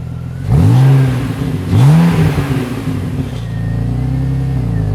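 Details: BMW X5 with freshly rebuilt M54B30 engine after a few heat cycles: smooth steady idle with two clean throttle blips rising and settling evenly, no ticking or knocking; normal idle and revving.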